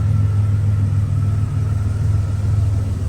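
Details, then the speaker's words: 1987 Buick Grand National turbo, 32K miles, sat 12-13 years, warmed up on a 40-degree day, idle and throttle blip: deep even rumble with no knocks or misses, sounds good; no smoke, just condensation; leaking oil, fuel in the oil. "Engine sounds good."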